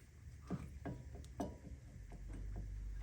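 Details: 2011 Chevrolet Suburban, over 200,000 miles, on a lift with the rotor off: irregular dull clunks as the bare hub is rocked by hand, a worn wheel bearing with excessive play, which caused vibration when stopping and turning.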